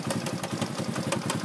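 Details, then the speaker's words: Racer moped (likely 110cc), CF Moto 2V91W-type engine run nearly without oil: sharp regular knocks about six per second over idle from the gearbox, later traced to a cracked primary-shaft gear tooth causing catching. "Что-то у него какие-то стуки в коробке. Вот слышны какие-то стуки посторонние."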